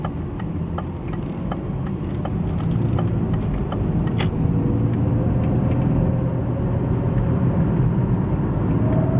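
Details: BMW E36 320iA automatic, 250,000 km, driving cold about a minute after start: steady low whine under road rumble, absent when standing, fading once warm; caused by the driveshaft center bearing under 6 months old, not the transmission.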